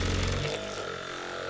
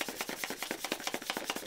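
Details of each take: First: Budget Phum massage gun, removable 2500 mAh battery, about 60 dB measured: fast buzzing pulses settling into a steady motor tone that holds pace when pressed under load; motor healthy. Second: Cheap Captain America-branded massage gun with a 2000 mAh battery and 20 levels: rapid clattery tapping about eight hits a second, with the loose, cheap plastic body rattling and shaking all over as it runs.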